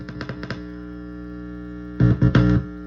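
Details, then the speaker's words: Sterling by MusicMan Ray 34 bass with stock preamp through an amp: steady low buzz that flares into loud bursts whenever the bridge or other metal is touched. Cause is a loose ground wire; grounding it to the jack ground cured the hum. "Now, every time you would touch the metal, it'll make a funny noise. Bridge, anywhere."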